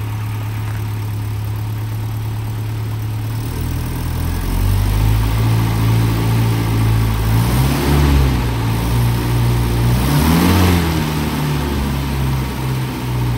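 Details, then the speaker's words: Land Rover Series 3 petrol engine after valve stem seal replacement and valve overhaul, new thermostat: steady, even idle with a low hum and smooth rev blips, ticking over nice and quiet, no knocks; normal idle. "so as you can hear ticking over nicely now nice and quiet"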